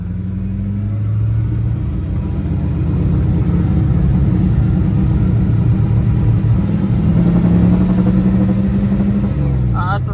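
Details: 1984 Volvo 240 wagon with a Mopar V8 swap, on a test drive after another attempted fix: uneven, stumbling beat at part throttle. The misfire remains and the fix did not work; a rich mixture is likely.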